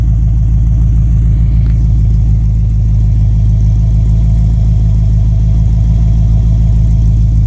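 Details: Base 1974 Corvette C3 L48 V8 after installing new Corvette Central Magnaflow exhaust: deep even burble, steady low rumble and smooth revs, no rattles or leaks; healthy exhaust.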